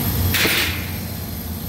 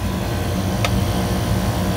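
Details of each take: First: Walk-in freezer rooftop rack compressor with iced coil, box at 33 degrees, lukewarm suction, hot discharge: steady low hum with a brief hissing rush; compressor bypassing internally on its pressure relief. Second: Walk-in freezer compressor on a rack, Southern California after a 110–115°F weekend, after a 3-day outage; compressor reset, wet (water pre-cooled) condenser whose water flow had been stuck off, likely winterized. Steady low hum, single click, not bypassing; running normally.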